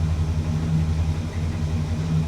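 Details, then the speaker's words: 1965 Cadillac big petrol engine at idle: deep, steady, even rumble with no ticks or knocks. Oil light on at start, expected to go out. Idle set slightly high; engine dieseled at shutdown earlier. Normal healthy idle. "Let's give her a couple pumps. Oil light is on. That should go out relatively quickly. Perfect. Sounds healthy."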